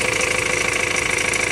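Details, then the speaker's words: 2.2 L Ford Transit diesel at idle after replacing the fuel metering valve on the high-pressure pump, not yet coded: even, rapid clatter, no longer surging up and down in revs; fuel rail pressure signal now steady. "i'm gonna recheck it but already it sounds much better i haven't coated it to the car just yet that does make a difference though so i need to do that still but it's not surging it's not going up and down in the revs so"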